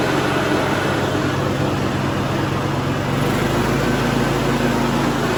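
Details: Cub Cadet LT1045 riding mower (276 hours) after repowering with a replacement engine, the original having a cracked block and seizing: steady, even engine note, smooth low hum, no misses or knocks; healthy normal running.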